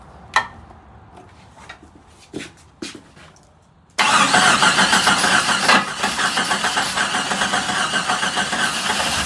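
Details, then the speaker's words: Jeep Comanche that sat for an unknown time, first start attempt on starter fluid with new plugs: quiet clicks, then harsh, uneven clattering while cranking; owner hopes it is valve lash or lifter tick from sitting. "yeah I'm not too thrilled about that sound though in that engine that really concerns me"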